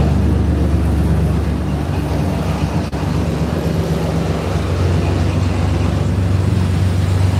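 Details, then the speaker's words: 4.3 V6 truck idling with no exhaust fitted: deep, loud, unmuffled rumble with raw steady pulsing; with exhaust on it ran quiet as a sewing machine; alternator belt noted too loose. "when this thing run with exhaust on it, you couldn't even hear it run. I mean, it sounded like a sewing machine."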